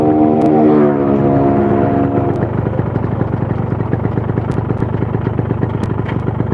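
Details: Yamaha RX King two-stroke: uneven, rattly beat of about three pulses a second with a clattery edge, running rough. A bearing noise is heard; a teardown possibly reaching the crankshaft is suspected to be needed; not confirmed.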